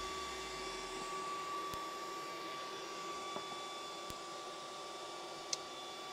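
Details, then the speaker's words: Antminer S9 Bitcoin ASIC miner just powered on, not yet mining: steady high fan whir with constant whine, no grinding or ticking, from the small server-style power supply fan rather than the ASIC; loud but normal fan noise. "yeah i guess it's kind of kind of loud i mean it sounds like a server power supply obviously it's this little fan that's making all the noise it's not really the asic to be honest"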